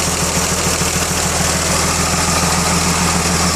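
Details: Rebuilt 1933 Chevrolet engine (5.6:1 compression), first run in over 60 years: loud, slightly uneven, lumpy low idle at about three pulses a second. Owner plans to back the timing off, suspecting it is too advanced. Rough running.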